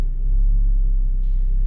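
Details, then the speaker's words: Mazda 3 at idle just after start-up: heavy low rumble and throb shaking through the body rather than ticking from the engine; worn engine mount. "well just started up the car and i don't know if you can hear it has a significant rumbling sound very significant"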